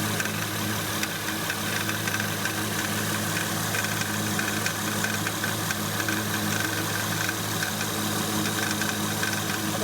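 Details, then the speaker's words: 2008 Acura MDX at idle: steady hum with light metallic rattle and quick ticking from the power steering pump, like a small hammer tapping; worn pump, to be replaced. "another indicator that it needs to be replaced is a noisy power steering pump it can sound like it's rattling and making these weird ticking noises"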